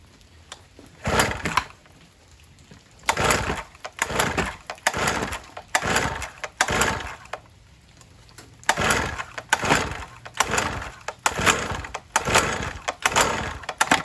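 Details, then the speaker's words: 1980s Cruise N Carry two-stroke outboard, sat about 20 years, first start on premix sprayed into the cylinder, carburetor not yet cleaned: fires in short ragged bursts about a second long, dying between them, smoke visible; first start on primed fuel. "Woo! There we go. Ah. Nice. See that smoke? We got it. Oh yeah. All right. She's a runner."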